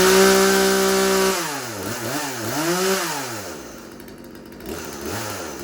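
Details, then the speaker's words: Craftsman 36cc two-stroke chainsaw: steady buzzing idle, then revs rise and fall cleanly without stumbling; runs real good, healthy. "Throttle depression lever and throttle. And it does run real good."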